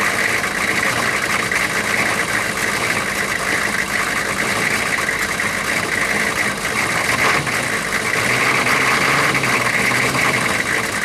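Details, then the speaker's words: 6.5 turbo diesel first started after sitting about four to six years, low on coolant: steady even diesel clatter at idle with no misses or stumbles; settled into a smooth idle, though a coolant leak was found. "but it is running and running smooth now that's a good thing so I'm going to let it run for a couple minutes not too long"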